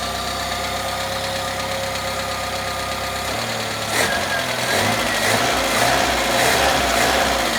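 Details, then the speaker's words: Citroën C25 camper engine, formerly rough when cold, warming up after a choke adjustment: settles into an even, steady idle with a regular beat, no misses. The ignition components were probably the cause; it sounds healthy. "listen to this machine pro it sounds perfect I was correct it was the ignition components probably the the coils or the wires and the uh and the actual spark"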